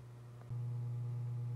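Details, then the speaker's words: Toshiba P300 hard drive in Cooler Master MasterBox Lite 5 case, toolless mounts: steady low hum jumping in loudness, drive buzzing against its mount; vibration suspected from the loose mount, which could slowly damage the drive. "well in the long term that the hard drive is vibrating enough it can actually slowly damage itself"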